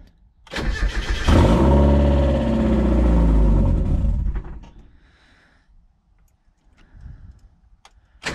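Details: Mazda Miata after new clutch, starts but won't idle: short crank, catches and runs about three seconds then sags and dies; coils first suspected, fuel pump relay connector found at fault, pump losing power once cranking stops.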